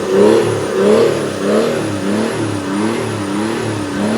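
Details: Mercedes OM606 diesel swapped into a Land Rover Defender, free-revved: revs up and falls back in repeated surges, pulling cleanly with no knock or misfire; engine sounds healthy.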